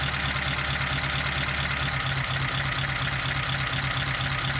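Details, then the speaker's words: 1953 Pontiac Chieftain idling during a cylinder check: about two seconds in, the beat slows and roughens as the number 2 spark plug wire is pulled; the rpm drop shows that cylinder was firing, and the wire is then reconnected. "And you can hear that it dropped. Now I will connect it back and it will work again up."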